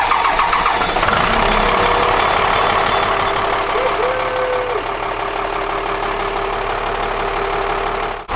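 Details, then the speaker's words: 1998 school bus with a new Cummins-built replacement engine, just installed: it catches quickly and settles into a steady, even idle with no knocking. A healthy fresh motor, though a transmission service light is on. "there she is motors on she's running okay"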